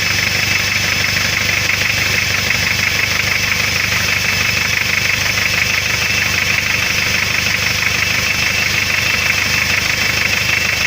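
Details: Hyundai 2.5 TDI diesel, warm idle: no knock when cold, then a knock like a valve with excess clearance, sharp and fairly regular about three a second over harsh clatter; oil pan removed showed spun rod bearing shells on cylinder 3, blamed on turbo failure.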